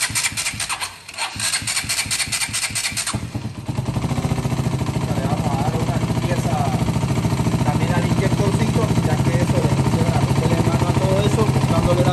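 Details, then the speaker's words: KTM Duke 200: quick chattering crank reaching about 550–600 rpm, then it fires and settles into an even, steady single-cylinder idle with no misses; normal idle. "Más de 500 y encendió, más de 550 y prendió, casi 600 y prendió y se mantiene normal en mínimo, casi 600 y prendió."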